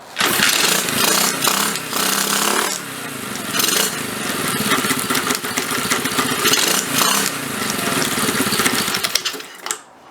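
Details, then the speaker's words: Pit/dirt bike idling with the left case cover removed: a harsh, clattering metallic rattle over the fast firing beat, caused by the loose flywheel moving back and forth. Fixed by tightening its 4 mm bolt. "like the wrestling that was happening at the um when the bike was idling is that um the flywheel coming forwards and backwards and moving"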